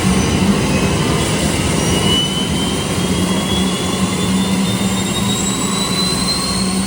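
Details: 2010 Camaro jet car with a Boeing T50 turbine engine and 700R4 transmission, in park, no throttle applied: a steady high turbine whine over an even low roar, with no surging. Normal gas turbine idle.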